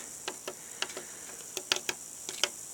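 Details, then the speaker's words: VCR after a drop test: irregular sharp clicks on a quiet background as it tries to run reverse and forward; play is not working, and the tape transport is jammed. "it's trying to go reverse you can hear if you put in reverse and forward it's trying"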